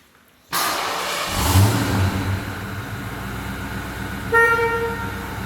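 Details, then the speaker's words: 1989 Foxbody Mustang with a V8 and mostly original paint: the engine catches cleanly and settles into an even idle, then a clear steady horn blast sounds. Normal start, and the horn works. "Let's fire it up. Should fire right up for us."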